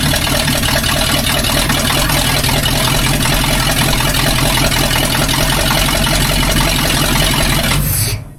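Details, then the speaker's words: Budget-build 302 V8 in a tow truck, first successful start on open headers: loud, lumpy rumble holding steady and even for eight seconds. It runs healthy with 50 psi of oil pressure. "Woo! We got a runner. Yes, sir. Hell. Take it out to the street. She runs, guys."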